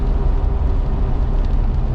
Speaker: The ones I threw on the rear, hoping to smooth them out in time, were pretty heavily cupped. And this thing, you can just You can hear it howling as I'm traveling down the road right